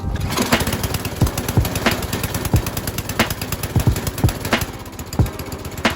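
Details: Tecumseh-engined MTD Yard Machines snow blower, about 25 years old, first run outdoors after fuel system work: small single-cylinder engine chugs steadily with a few uneven thumps, sounding healthy; normal running.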